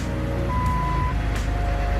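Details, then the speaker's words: 2003 Jeep Wrangler TJ started after a second transmission replacement: steady low idle, even rumble, no tapping or knocking; previously an insanely loud tapping like engine knock; no noise with clutch pressed in. "that sounds so much better. No noises when I'm pushing the clutch in, that's good."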